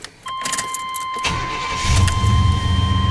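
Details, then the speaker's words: 1993 Chevy Silverado with hard-starting issues, fuel pump running via a jumper across the fuel pump relay socket (orange to gray wire). A warning chime, a brief crank, then it catches immediately and settles into an even rumble. Normal start. "Right now my fuel pump's running. I can't hear it running. This thing ought to fire right up."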